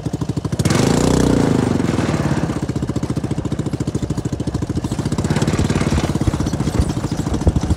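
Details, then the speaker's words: CFMoto 250cc 172MM GY6 single-cylinder buggy with rebuilt head and old pickup coil spliced back in place of bad new one, desert riding: steady thump picking up cleanly on throttle, no misses; normal running under throttle. "But now I have a brand new head. I've since taken it back out to the desert. The thing ripped."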